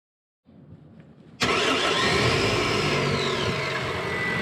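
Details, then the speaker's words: 2011 Honda Civic 1.8L four-cylinder with a no-crank, no-start fault, test-started with ignition on and battery voltage fed straight to the red starter wire. Short crank, catches at once, steady even idle; starter wiring good, ignition switch next suspect. "and it starts so i know that the wiring from up here all the way down which lives in the back of the engine under the intake manifold they're good"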